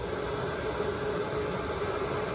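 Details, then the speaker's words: Range extender (REX) engine running in emissions mode after leaves were cleared from the rear cooling fan: steady, even hum with no fan rattle or flutter; strange noise gone, leaf confirmed as the cause. "So now the strange noise is gone once the leaf was removed. So that looks like that was indeed the problem with the strange sound."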